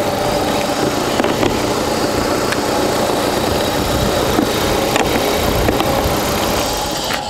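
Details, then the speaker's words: Cheap £200 car for a drag-race challenge, jump-started after stalling on a flat battery, ancient petrol suspected of making it cut out: even, smooth idle with a constant light hum, no stumbling or ticking. "so I could jump it and you'll hear the engine Bing Bing Bing this is incredibly smooth"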